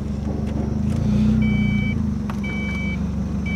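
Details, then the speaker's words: Ford Probe from Copart with transmission trouble on a road trip, after a roadside fix: steady low engine hum pulls away smoothly with a faint chime behind it; the automatic transmission engages and drives normally. "You can't see it there, but she works. She works. She's fixed. She lives again."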